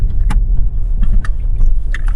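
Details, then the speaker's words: Lada Vesta driving over a speed bump after replacing the stabilizer bar bushings and lower engine mount: only dull thumps and body rumble, no squeak; the front suspension squeaks heard before the repair are gone. "так вот лежачий проезжаем отлично не было скрипа сейчас туда обратно ездил до этого были скрипы"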